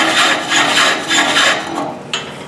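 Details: Large wood platter blank on lathe during initial truing with a gouge: rasping cut swells about every 0.6 seconds as the tool hits the high spot each turn; blank still out of true.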